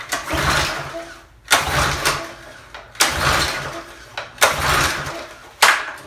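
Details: Discarded Craftsman 2700 psi pressure washer small engine, spark plug cleaned of excess oil. Repeated pull-start bursts but it never catches; the air filter was covered in oil, and the owner suspects oil leaking through the carburetor.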